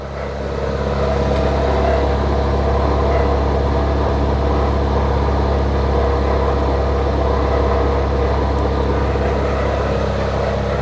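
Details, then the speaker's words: Toyota Corolla, first start of the day, cold idle in Drive: constant mid-pitched whirring drone over the engine hum; worn, oil-soaked accessory belt tensioner. "barulho feio né então vou est falando sobre esse barulho sobre o que que tem que ser trocado ali então galera vou mostrar o tensionador aqui que tá com problema para vocês"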